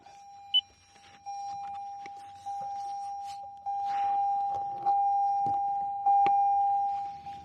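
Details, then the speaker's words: 2020 Toyota Corolla SE with car shut off and door open: steady mid-pitched continuous beep under clicks and handling; the normal door-open warning chime. "another thing which is also quite annoying is when we shut our car off and when the door is open, we will get a constant beep."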